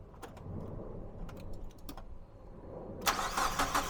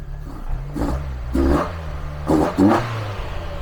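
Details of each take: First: Mazda MX-5 1.8 VVT, first start on newly fitted Jenvey throttle bodies with an ME442 ECU base map, idle raised and no idle control valve, throttles not yet balanced: brief cranking, then a fast, even idle; a clean start. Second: Mazda MX-5 1.8 VVT on first start with newly fitted Jenvey ITBs, ME442 ECU base map, no idle control valve, throttle bodies not yet balanced: sharp throttle blips each sagging back slowly toward idle; slightly sticky throttle suspected, cable to be checked.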